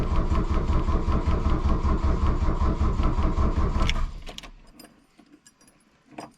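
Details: 1982 VW Rabbit diesel, cold choke pulled out to advance injection-pump timing, glow plugs cycled, batteries jumped while charging; steady cranking, no catch. Won't start; owner suspects a fuel prime issue, not confirmed.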